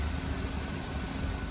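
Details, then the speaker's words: 2017 VW MK7 Golf R turbo four with an Integrated Engineering Stage 1 ECU and DSG tune, which had a cylinder 3 misfire. After colder spark plugs and APR coil packs were fitted, it pulls smoothly under load on a test drive with no check engine light; the cause was a bad plug. "or that felt good hey no check engine light so it's definitely a bad plug oh yeah that's how it should feel yeah"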